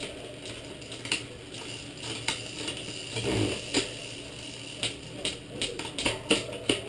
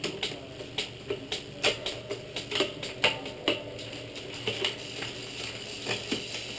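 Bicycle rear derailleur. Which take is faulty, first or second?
first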